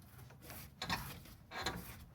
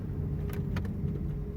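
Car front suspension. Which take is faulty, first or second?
first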